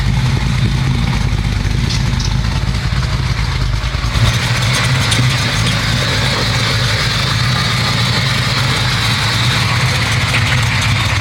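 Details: 1969 Camaro restomod, 427 Dart block V8: steady low but lumpy, uneven idle lifting slightly after four seconds; air-fuel reading around 35 suggests way too lean; spark plugs to be checked. Cause unconfirmed.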